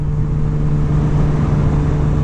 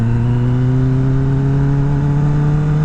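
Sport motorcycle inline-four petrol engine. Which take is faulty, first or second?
second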